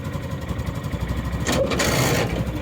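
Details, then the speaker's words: Derelict John Deere Gator single-cylinder after carb mixture screw set about 1.75-2 turns out: lumpy idle, then a harsh grinding burst about a second long when shifting; owner suspects idle not low enough, lower and it dies. "we'll see whether or not it's idling low enough for me to shift gears it uh it still sounds like uh it's GNA grind if you ask"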